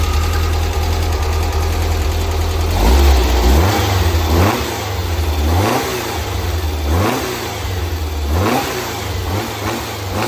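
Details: Freshly built 100 HP 1641cc flat-four Ghia engine, first fire-up after throttle linkage install: deep, slightly lumpy idle with quick throttle blips rising and falling cleanly; engine runs and revs normally.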